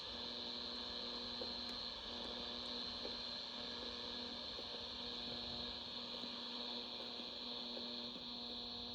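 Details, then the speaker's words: General Electric 7-2930D portable radio, AM band indoors near electronics: a constant buzzy hum with faint ticking crackles and no station coming through. Poor AM reception from being indoors. "Because I'm inside, I'm not getting very good AM reception. Could be better."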